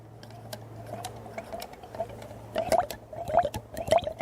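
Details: Ford FE 390 engine build, oil pump gears lubricated with oil before installation and spun by hand with the pump shaft: wet, irregular clicks and squishes, no binding or grinding; pump spins freely, gears coated.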